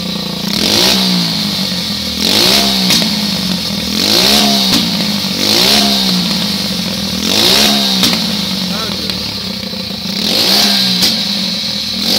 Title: 125cc pitbike backfiring